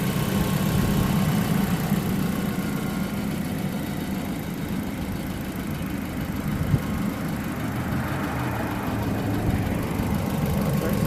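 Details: 2004 Mazda 3 at idle: steady low rumble with a faint, uneven knock mixed in; source of the knocking not identified.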